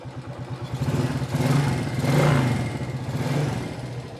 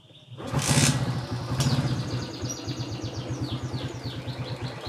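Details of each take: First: Old Suzuki Shogun 110 motorcycle engine revving: a light fast clatter over the exhaust beat from loose valve clearance, deliberately set wide because the bike is ridden in mountains; otherwise normal for an old engine. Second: Old Suzuki Shogun 110 motorcycle, started and revved, then settling into a steady, even idle putter that is normal for an old engine. Loose valve clearance is blamed for a clatter, set wide because the bike is used in the mountains. The kick-start was slipping.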